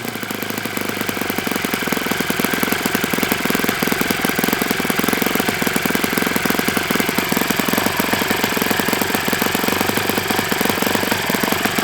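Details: Enya 46-4C four-stroke model engine on a Ron Sexton test stand with 12.7 prop: rapid, even firing with a rattly, knocking edge settling to idle; owner concludes it needs bearings and will fit new ones.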